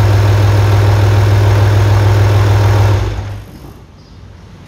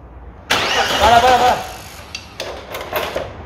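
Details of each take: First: 1998 Audi A4 2.5 TDI (AFB engine) after timing belt and water pump replacement for a leaking water pipe: steady, even low diesel idle, no knocks or misses, then clean shutdown; normal start and idle. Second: 1998 Audi A4 2.5 TDI (AFB) diesel after timing belt and water pump change: fires for about a second, roars briefly, then dies to a few clicks; injection pump fault (advance wire burned) causing start then stall.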